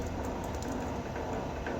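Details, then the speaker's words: Vevor electric wire stripper running: steady low even hum with faint gear whir, no knocks or grinding; quiet and healthy, quieter than a drill-powered stripper. "that's how loud it is so uh it's a lot lot quieter than even the the drill power uh strip Meister that I got"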